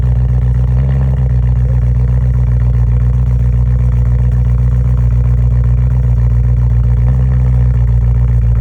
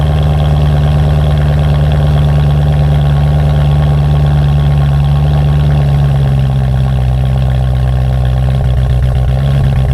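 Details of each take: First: BMW M3 cold start with P2626 code: lumpy, uneven LS-like chop at idle instead of smooth burble; bad passenger-side (right front) pre-cat oxygen sensor. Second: BMW M3 after replacing faulty passenger-side pre-cat oxygen sensor (P2626 cold-start issue): deep steady idle hum with a slight dip partway, then even again; briefly broke up seconds then stopped, normal idle after repair.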